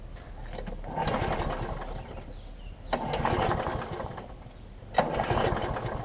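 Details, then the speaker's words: John Deere JS63C mower, first start with fresh gas, before repair: it runs rough and fast, surging about every two seconds. The cause is a slightly sheared flywheel key throwing the ignition timing off; the owner first thought it might need carburetor cleaner or simply running. "it did start up so learn a little bit rough it might need carburetor cleaner or it might simply just need to be run"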